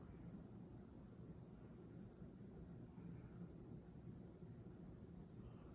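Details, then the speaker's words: Minka Aire Volterra ceiling fan, which clicked and wobbled slightly, now running with only a faint steady hum and no clicking after being wiggled; the clicking has stopped. "I guess I got the clicking to stop now okay I guess I got it to stop"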